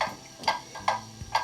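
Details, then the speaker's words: Pendulum clock movement on level, solid test stand: crisp evenly spaced ticks about every 0.45 seconds, no limp; clock in beat. "that is the even tick tock tick tock that you're looking for for your clock to be in beat that is a very steady beat"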